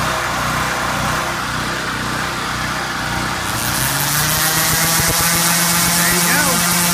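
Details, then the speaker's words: Powerhorse generator, gummed carburetor replaced with a new one after sitting two years, run to warm up: it revs before stabilizing, then holds a steady, even drone as a load is plugged in. Normal running under load. "the generator takes a while you hear it revving like that takes a while for it stabilize so fire it up off CH going to let it run let it warm up"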